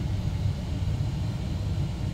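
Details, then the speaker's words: Mystery 486 tower PC with Intel i486 DX2, American Megatrends BIOS previously giving 3-beep and 8-beep codes, turbo off: steady low fan hum, no beeps; normal POST boot with wonky display, flashing bars and cursor. "no beeps so aside from the odd flashing bars on the screen sounds like everything has booted now"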